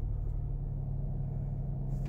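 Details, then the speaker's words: 2006 Dodge Magnum with months of stalling, right after a restart following a stall; deep low idle with a slightly uneven, lumpy beat, rough idle; owner notes it never happens when the check-engine light is on; cause still unknown. "and here we go a guide and fires right back up and now look at it moving here it running like like stuff"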